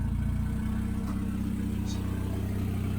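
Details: CA18DET-swapped JDM Miata at its first start-up, steady even low idle with no stumbles, knocks or hunting; sounds healthy, a little smoke just burning off residue.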